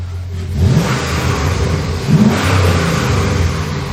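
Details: 1997 Lexus LX450 swapped to a 5.3 LS with a 6L80, 2,800 miles after the swap: two clean free revs rising and falling smoothly. No belt squeal or chirp, and the belt is not riding up on the crank pulley. Normal.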